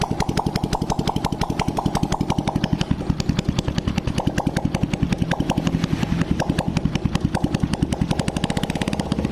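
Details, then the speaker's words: Honda Blade after cylinder boring and head reassembly, first start with spark plug fitted and exhaust removed (oily muffler left off to avoid smoke): crisp, even open-pipe popping at steady idle, no misfires or rattles; runs smooth, smoking fixed. "Saya jamin 100% tidak ngebul sembuh ya kita coba Nyalakan Hai mesin pun suaranya lembut"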